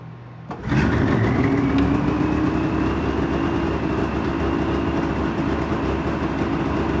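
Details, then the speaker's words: Polaris Ultra two-stroke triple, still possibly cold after thawing for hours, running off a small fuel jug with a broken fuel filter: it catches and settles into a steady, fast buzzing idle that never drops back down; high idle, possibly due to cold. "that is a bit of a high idle it can still be cold who knows"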